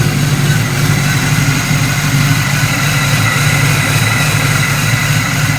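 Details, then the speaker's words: LS-swapped V8 idling cold (gauge at 104), steady deep burble with a mild cam, no knocks or misses; owner notes a slight exhaust leak. "This gauge stays at 104 when it's cold, so that's how it sounds at idle. You got it idle where you can't hardly hear my cam, but you can hear it though."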